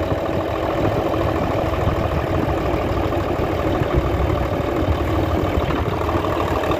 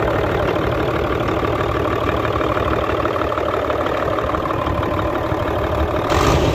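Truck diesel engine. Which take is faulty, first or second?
second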